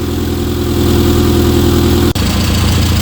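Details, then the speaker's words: Rover Mini, cold day, after new vacuum lines and fresh fuel: smooth even low idle with steady beat, no knocks or misses; normal warm-up idle, idle dropped after about ten minutes. "that sounds really good right we're going to let this warm up"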